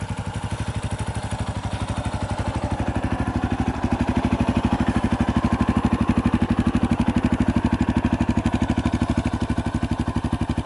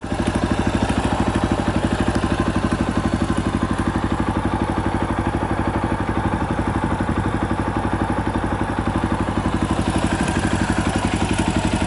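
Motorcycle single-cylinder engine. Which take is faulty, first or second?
second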